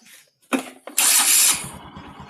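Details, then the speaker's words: Motorcycle after cam chain tensioner fix (spring retensioned so it presses the cam chain): cranks, fires sharply, settles to even steady idle; earlier tick-tick rattle from slack cam chain gone, engine smoother than before. Normal start and idle. "the engine more smooth than before there's no picnic picnic again"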